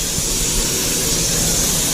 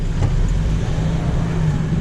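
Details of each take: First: MAN truck under braking: a steady, heavy hiss of escaping air. The near-side rear brake chamber is leaking and needs replacing. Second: MAN truck after replacing a rear brake chamber that leaked heavily under braking, heard from the cab with windows down while brakes are applied and released. Even diesel idle, brief air puffs, no lingering hiss. No air leak.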